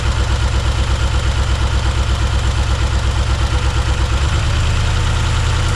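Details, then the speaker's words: 1971 Chevrolet C10 first start after cam install: heavy, lumpy, uneven loping idle, nearly three pulses a second, shuddering; three cylinders dead, later traced to numbers two, four and six; lifters possibly not set or pumped up. "foreign dead on three number three no it's dead on three three cylinders yeah"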